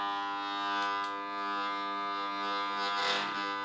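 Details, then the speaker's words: Royce air compressor, plugged in: steady electrical hum with a buzzy, even tone and no run-up in speed; motor energised but stalled, almost certainly a failed main motor start capacitor. "that's what we want to hear I'm just going to disconnect that now that is almost certainly an issue with the main motor start capacitor"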